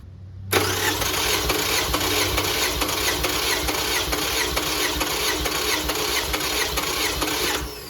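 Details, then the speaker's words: 2005 Toyota Camry LE, 2.4L 2AZ-FE, oil burning. Compression test cranking with EFI relay pulled, plugs out and throttle held wide open. Even, steady starter cranking with no stumble; cylinders read about 150–155 psi, consistent across the engine. "150 about. So it's consistent. I mean, could be worse."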